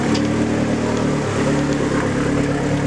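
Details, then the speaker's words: Dodge Neon SRT4 first start after new clutch install: cold engine holding raised steady idle with even hum and faint whistle; high idle expected to settle once warm, owner will check vacuum leaks. "can tell it's uh needs to warm up because it's obviously high idling which that'll go away"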